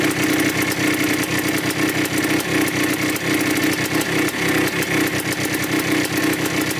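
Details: 1987 Yamaha YZ 490 two-stroke after carburettor rework for bogging, warming up: crisp, steady idle with an even popping beat and clean revs. The air screw is at 2¼ turns out, in spec, and the pilot circuit is set right.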